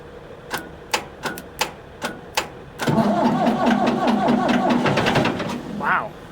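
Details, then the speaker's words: Ford 655A backhoe, abandoned after owner died, first start attempt: few slow clicks then diesel lights right off and runs with even steady clatter; healthy cold start. "it's going to light right off huh man I have never gotten this lucky with Willet Stars"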